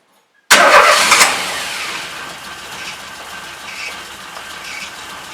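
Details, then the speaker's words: Carbureted car engine catches with a sharp burst, then runs ragged and uneven, never smoothing out; rough running after start, carburetor issue suspected; first cylinder reads much cooler than the others (34 vs 40). "yeah so when it's like this it just splut that so I'm not really sure what's going on with it"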